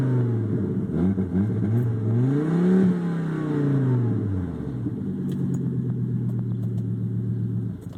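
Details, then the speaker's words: 1998 Volvo S70 with a big exhaust leak: loud raspy engine roar rising and falling with revs because the catalytic converter has completely separated from the rest of the exhaust; repair planned. "is what it sounds like with a big ass exhaust leak i'm gonna show you what's going on down here as you can see the cat has completely separated from the rest of the exhaust there"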